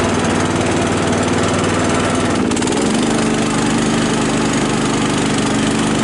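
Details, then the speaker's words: Cub Cadet LT 1018 lawn tractor, about 150 hours, sat with stabilized gas after a tree smashed it, started on choke: steady, even engine drone with smooth note change moving off forward and reverse; runs cleanly. "I guess it only has 150 hours on"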